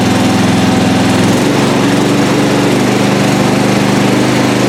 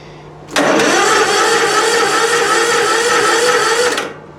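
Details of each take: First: Lawn mower small single-cylinder engine running on a recovered weak 12 V lead-acid battery, steady even beat with no misses, knocks or rattles, holding speed; charging system reads about 13.5 V; normal running. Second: Weak 12V lead-acid battery, recovered by zapping and charging at 14.4 V, cranking a small engine without choke: sluggish but steady cranking drone that holds speed without tailing off or catching; slow crank from a weak battery.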